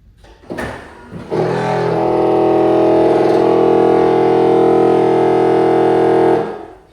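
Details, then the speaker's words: 1999 C5 Corvette pop-up headlight that raises fine but grinds going down. A buzzing, machine-gun-like rattle comes from a worn plastic or nylon drive gear in the headlight motor. The fix is a brass gear rebuild kit. "Sounds like machine gun spray. It's not machine gun spray. It is a worn out plastic or nylon gear motor in the headlight motor."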